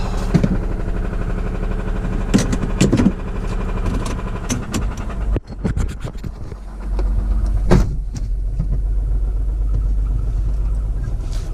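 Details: Lexus SUV that was run out of oil, oil light on: the engine stumbles and catches, then loud, uneven hammering knocks over a rough idle. The oil pump is suspected to have failed from oil starvation, ruining the bottom end.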